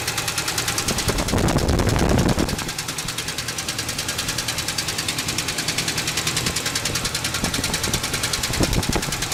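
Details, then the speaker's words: Idling engine after oil, coolant change and detergent added to the oil, following a hard rev; sharp steady tick about three times a second from the valvetrain. The owner first feared a rod; the cause was a broken pushrod. "I'm gonna turn on the motor see you guys can see that it still makes that noise so now I'm little worried about maybe one of the rods in there or something"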